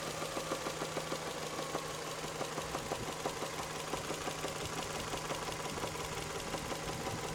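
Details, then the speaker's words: Toyota 3S-FE petrol engine idling warm: strong, irregular knocking that appears after warm-up, comes and goes, sometimes just rattles; cause unknown to owner. "Бывает не стучит, бывает просто тарахтит, прям аж долбит как хрен знает что. Просто удары такие характерные. Сильные удары."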